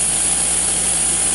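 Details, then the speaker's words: Small air compressor pumping filtered, cooled woodgas into a propane tank at about 55–60 PSI: steady hard hiss over even pumping from many leaks; owner suspects a blown head gasket. "we got so many leaks on this little piece of jump suppressor you can hear it but I think it's got a blown head gasket so we're going to just Runner until she doesn't do"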